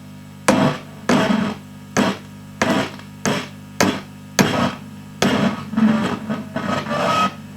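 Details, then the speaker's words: VOX AC30 C2 guitar amp with crackling, spitting noise that comes and goes, worse when warm; each light tap on the cabinet sets off a loud crackling burst through the speaker, about one per second, pointing to a loose connection inside. "i was just taking some of the screws out and look how hugely sensitive this is to being tap tapped like just here hear that"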